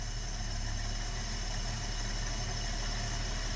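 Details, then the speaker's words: 1973 AMC Gremlin, sat 30 years in a barn, run on an auxiliary ignition wire: fires and settles into a steady, even low-rumble idle with no misses, knocks or hunting; healthy idle. "That's ridiculous. It's straight up idling. Can't make this up."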